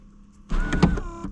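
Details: Nissan Gloria Y32 sunroof: a smooth, even electric motor hum runs for about three quarters of a second and stops cleanly; the sunroof motor is working normally.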